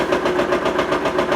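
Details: Kawasaki Mule after carburetor rebuild with new kits, jets cleaned and air needles set: steady even putter at quick idle, no misses or knocks; normal idle.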